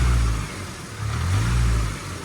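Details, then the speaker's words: Range Rover Evoque diesel (stolen-recovered) revs rising and falling with a buzzy metallic rattle on the engine note: loose exhaust heat shield vibrating, likely clipped and moved; fix planned by adding washers under the mounting bolts. "see it it's a heat shield right that's with me holding it I'll take it my hand off TR now yeah you want to show it Rob it's just a heat shield"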